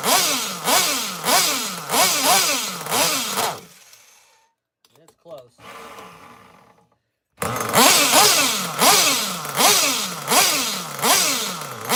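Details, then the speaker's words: Nitro engine on the bench, warming up, revs up and sags in repeated bursts with a burbly, lazy run that won't clean up; fuel spitting out the side; rich fuel mixture. "That thing is rich as hell. Super rich. I mean, it's just pissing fuel out the side of this thing."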